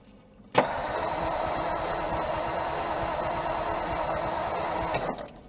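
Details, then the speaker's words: 1956 Ford Customline with a 292ci Thunderbird V8 and Holley four-barrel teapot carburetor, off the road since 1971. The starter cranks steadily about four seconds without firing because the engine is flooded. Fuel is dripping, the accelerator pump is suspected dead and the battery is tiring. "yeah this is flooded out now so let's hold that open for a bit"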